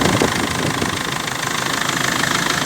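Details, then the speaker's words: 2005 BMW E46 320d Touring at 228,000 miles, just started cold after water pump and viscous fan replacement, thermostat not yet open: steady, even diesel idle clatter with no belt or fan squeal. Normal diesel idle. "everything sounds good no circulation at the moment but obviously I need to wait for the thermostat to open"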